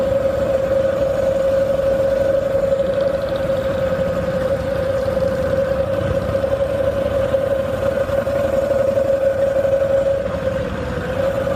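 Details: 1985 Harley-Davidson FXSB, stock driveline with chain primary, hot engine at low rpm: a steady drone with an uneven, loose knock underneath, worsening and only when hot; oil changed with nothing found, source unknown.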